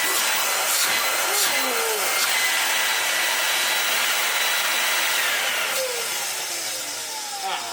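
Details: 1970s Lux motor fitted into a 1987 Numatic NV200 vacuum cleaner in place of the original 1987 motor: steady even airy roar, no grinding or stutter; runs smoothly and sounds healthy.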